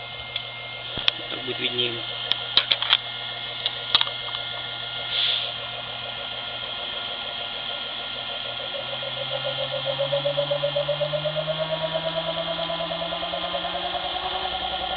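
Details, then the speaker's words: Asynchronous motor fed by an inverter, which also knocked when run on capacitors: a steady rhythmic knock through the hum only as it speeds up to certain revs, easing as speed drops; owner asks whether bearings or rotor rubbing the stator. "слышите пошёл стук Вот так он вообще отчётливо [музыка] слышен при уменьшении оборотов стуку уменьшается что это может быть Подскажите люди добрые"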